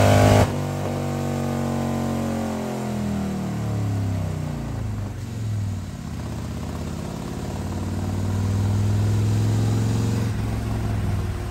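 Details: 2020 Harley-Davidson Road Glide, fresh 130-inch T-Man Performance stage four engine on a dyno pull after warm-up (result about 155 ft-lb torque, almost 153 hp): deep V-twin drones smoothly as revs fall, then climbs steadily, no misses, knocks or rattles; normal under load.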